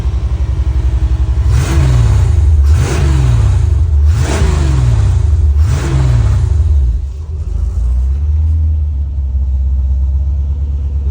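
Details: 1985 Chevrolet C4 Corvette, about 250k miles, sitting a couple of years, first start with 10 volts on the battery: four quick throttle blips, then a low, uneven idle that barely holds; fuel pump works, idle not yet sorted.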